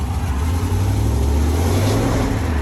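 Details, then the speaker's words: 1995 Jeep Grand Cherokee ZJ V8 just after replacing the crankshaft position sensor with a Mopar part. Driving, it gives a deep, steady rumble that pulls without stumbles, and the earlier hesitation is gone, though the idle still doesn't sound great. "Oh my God, that's so much less hesitation. Woo! Look at us f***ing rolling. We're rolling. No hesitation."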